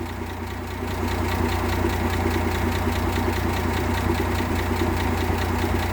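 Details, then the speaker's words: 1958 AMC Rambler Super with Weber carb refitted and new distributor cap replacing faulty original: even, steady idle with no stumbles, skips or missed beats, firing cleanly on all cylinders; misfire fixed, normal idle. "it's looking really steady to me but before it wasn't looking steady"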